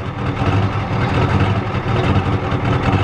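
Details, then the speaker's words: 1993 Ford F-250 XLT 7.3L IDI diesel that sat about a year, warm idle: low, lumpy clatter with an uneven beat around 78 a minute and the engine shaking. Owner suspects it is out of time. "not running too good I think it's out of time I think so it's out of time you can tell look at it shaking it's out of time"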